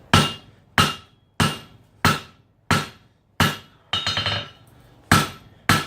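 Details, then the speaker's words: Bright, smacky ringing hammer blows (about ninety a minute) while forging Damascus knife blades: the steel was let get too cold, and the hammer tone changes to tell you so. "you heard the difference of the sound and the hammer well sudden the hammer got a much deeper tone to it you're that like it's not deeper of a little bit more brighter smacky kind of tone to it"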